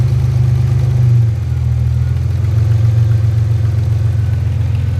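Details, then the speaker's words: Warmed-up engine at a stop, idle rising and sagging in slow uneven waves with no knock, after months of running well; a position sensor is suspected of going bad but not confirmed. Idle hunting. "there's a there's a little bit of a h do you hear that when it's doing the"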